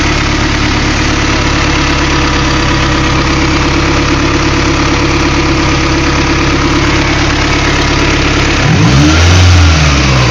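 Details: Honda B16A engine with J1 transmission: idle holds a steady but slightly lumpy beat, then a quick throttle blip near the end; idle problem, owner fears motor is shot, cause unknown. Erratic idle.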